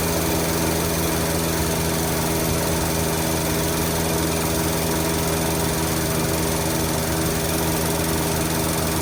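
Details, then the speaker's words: 1948 Studebaker Champion flathead six, long abandoned, on old fuel, warming up: lumpy, uneven idle from one dead cylinder, number 6 cold; puffing from carburetor, owner suspects an intake valve, or plug wire corrosion. "Yeah, it's definitely got at least one dead one. At least. It might be an intake valve, actually. You can hear it puffing out of the carburetor."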